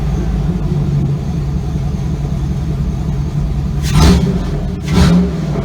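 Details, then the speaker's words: Chevy Avalanche with LQ4 6.0L V8 swap, muffler off with pipe hanging: deep steady open-pipe idle with two quick clean revs rising and settling smoothly; engine sounds healthy. "I mean we're pretty much there guys you heard it idle and run off and I like it"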